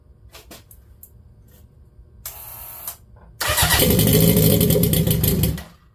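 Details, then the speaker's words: Honda CB750 turbo pro-mod motorcycle, fuel on, in neutral with fuel pressure; cranked briefly to get oil up but it fired at once into a strong, even idle, a clean start with no leaks seen. "And of course, I was just going to crank it for a second to get some oil down there, but it started right up. Go figure."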